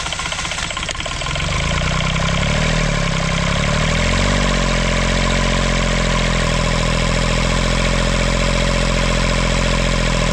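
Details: Kubota L722 3-cylinder 0.8 L diesel, rusty inside, after an injector pump rebuild following a runaway: hard steady run with a sharp knock about three times per second. A piece of connecting rod was found; connecting rod knock.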